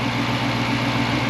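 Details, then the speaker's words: V8 at a dealer-only auto auction, idling: deep, steady burble with an even beat and no knocks or misses; sounds way better than expected, a healthy normal idle. "Bro, this thing sounds way better than I thought it would. Wow. Craziness, dude."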